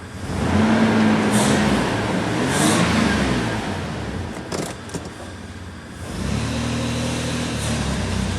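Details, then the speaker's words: 1999 Toyota 4Runner 3.4 V6 brake-torqued under load: uneven stumbling misfire, about four stumbles a second, yet the scanner shows no misfire counts on any cylinder. "You can hear the engine misfiring, but there's no misfire counts. So the scanner is not going to be much help to us at this point."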